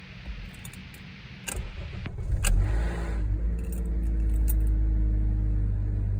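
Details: 2012 Honda Accord EX-L cold start: keys jingle, then a brief harsh grinding rasp or rattle as the engine cranks and catches, settling into a low idle.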